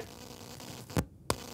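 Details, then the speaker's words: Focusrite Scarlett Solo balanced monitor outputs unbalanced by grounding either side through a 3.5 mm adapter jack: low buzzy hum with a whine and sharp clicks as each side is grounded; conducted-mode USB noise from the unbalanced connection. "get the same conductive mode noise we did before and if i ground the other side of the balance you get exactly the same thing"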